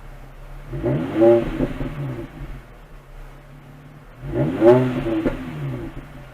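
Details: 2005 Infiniti FX35 with stock exhaust, resonator still fitted, after a cold start and idling down: two quick, smooth blips rising and falling from a quiet idle, muted and clean; normal revving.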